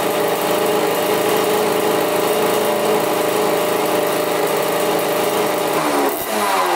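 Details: 1985 Yamaha YZ80 two-stroke, first start after rebuild on 41 premix: crisp even buzz held at high revs, then blipped down cleanly with no knocks or rattles. Runs really good; owner unsure the impeller works, then sees the pump working.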